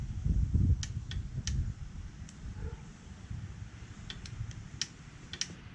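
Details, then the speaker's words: Tao Tao 110cc mini ATV given extra power. Short labored low cranking grunt that dies out, then scattered clicks and ticks; starter motor likely shorting out and definitely shot, apparently cranked a long time by previous owners. "So, I think this might actually be shorting out. So we already found one problem. The starter is definitely shot, for sure."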